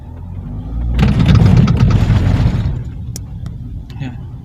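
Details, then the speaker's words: Toyota Alphard driven over a simulated rough road: rough knocking clatter from the steering as the wheels cross bumps; steering column clunk, points to a cracked rubber damper in the assist motor coupling. "suara setir terdengar kasar ya kece-keceu terus selanjutnya Nanti akan saya jelaskan Gimana cara perbaikannya terhadap problem ini"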